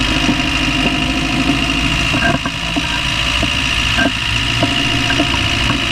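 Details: Land Rover Discovery 1 300Tdi diesel idling with a sharp knock about twice a second, steady at idle over the clatter; knocking noise of unknown source, owner asks what it is.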